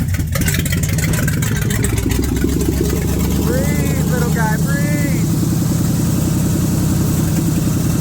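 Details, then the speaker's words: 1978 Chevrolet K20 V8 first start after sitting for years under a tree, carburetor suspected junk: fast, even idle with no misfiring or stumbles, runs well but idle sits way too high. "I actually ran really good too there was no misfiring idle is way up there"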